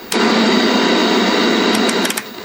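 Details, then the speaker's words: Packard Bell MQ625 tube TV, decade box substituted for a 560-ohm 1 W plate resistor on the audio output tube, stepping 10K to 5K: harsh fuzzy buzz for about two seconds then fading; audio distorts at wrong resistor value. "10K that's uh 7K here how it's all distorted 6 K 5"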